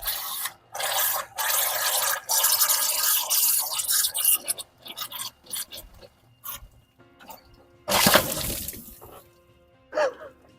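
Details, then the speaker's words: BMW E30 with swapped M43 engine, run only about 10 seconds so coolant still cold: hoses rock hard, radiator fizzing, sharp hiss and gurgling spurts as reservoir cap is cracked, combustion gas pressurizing cooling system; blown head gasket. "As you can see here, the radiator is [music] cracked and it's fizzing on the side."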